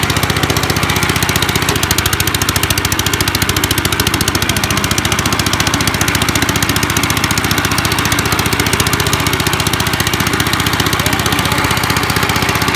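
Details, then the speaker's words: 1955 Gravely Model L tractor, single-cylinder, first start after five years sitting with cleaned magneto points, mid throttle, neutral, choke on; starts in two pulls, loud raw uneven bark with broken exhaust, running half-choked and rich; owner suspects carb needs cleaning or needle opening. "it was kind of on like half-choked the whole time so it probably needs you the carb cleaned or maybe just even the needle open"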